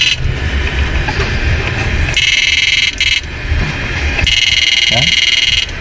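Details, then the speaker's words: Susan 735 first-gen siren after repair (resistor glued, 500k fitted, flip-flop disabled): loud clean electronic tone in steady bursts with a quick yelp sweep, strong output; working properly. "Yan, bali napapatay na natin yung flip-flop. Yan, ang lakas. Yan, maandar na siya."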